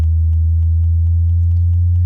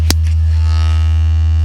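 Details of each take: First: 2021 Toyota Avalon with upgraded JBL system after sound-deadening treatment: steady deep bass test tone sweeping the low end around 80 Hz plays cleanly, with no buzzing or rattling from the panels front or rear. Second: 2021 Toyota Avalon with upgraded JBL system, playing an 80 Hz test tone: deep steady tone with a harsh raspy buzz that comes and goes, a mid-bass door panel rattle despite earlier sound deadening by another shop.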